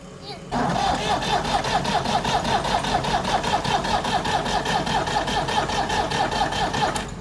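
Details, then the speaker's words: Old Ford tractor after fuel system cleaning, battery drained: starter turns slow and labored about two and a half beats a second, no smoke, never fires. "All right, so I hear slow crank, no smoke. Well, I drained the battery too."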